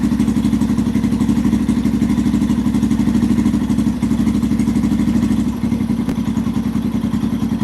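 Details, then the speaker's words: 2005-2009 Yamaha TTR-230 single-cylinder, carburetor suspected after an adjustment to one and a half, tank refitted: idle thumps unevenly and sags, rpm falling off as if dying; only slightly improved, seems not getting enough gas, runs great on choke. "it's still falling flat on its face holy cow what the heck did the customer do to the carburetor it's like it's just not getting enough gas"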